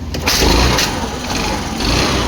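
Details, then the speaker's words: Old-model Pleasure scooter after engine repair (new valves, valve guide O-ring, piston rings) for no-start and low compression: short crank, then catches straight away and settles into an even buzzing idle; starts cleanly. "देख पा रहे हैं गाड़ी start हो गया बिल्कुल सही तरीके से। गाड़ी में कोई दिक्कत नहीं है।"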